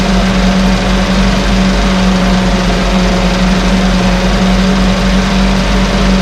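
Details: 1968 Evinrude Fastwin two-stroke outboard, bought and only set in a test tank with no repairs, out of gear with no load: steady, even buzz with no misses or surging; no cold-start cough, runs better each start with Sea Foam in the fuel. Normal idle.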